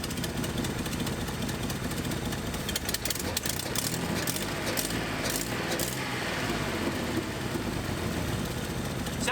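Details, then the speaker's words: 1981 Nissan 280ZX six-cylinder, sat 15 years, idling with a broken injector connector wire pushed back in so that injector fires again: a steadier idle with slight remaining unevenness. Improved idle; the connector is to be replaced. "this is the best it's idle we can continue to do that the idle changes when i shove this wire back into the connector that injector starts firing right"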